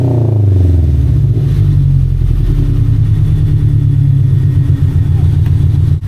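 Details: Subaru BRZ with new unequal-length header and stage 2 tune, after retightening header and repositioning gasket to stop a leak: deep throaty boxer rumble dropping from a rev to a steady even idle, no puffing or ticking; exhaust sealed and healthy.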